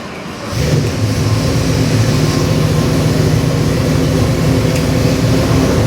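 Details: Custom Ford 302 V8 crate engine on dyno for a '67 Mustang, Comp Cams hydraulic roller cam, Edelbrock aluminum heads, Holley 650 carb, MSD distributor: fires up to deep, even lumpy burble with clean pickup; healthy.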